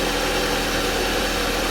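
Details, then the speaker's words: Jeep Compass before repair, engine noise brought on by revving: dense, busy metallic clatter over the idle; timing chain rattle, later fixed by timing chain replacement. "so it's just a matter of finding the particular noise that we call the abnormalness so we're going to start the engine and try identify First which here the noise is located"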